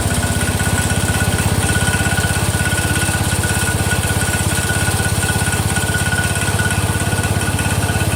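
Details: Freshly rebuilt Kohler engine in a Cub Cadet 102, first start from cold: steady, even single-cylinder thump with no misses or knocks, holding speed smoothly; it sounds great and runs healthy.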